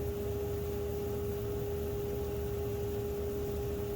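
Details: 2 HP DIY cyclone dust collector built from a modified Harbor Freight unit with a new impeller, wall-mounted blower box; steady even roar, constant mid-pitched tone and rushing air, no wobble or rubbing, cyclone action working; normal running.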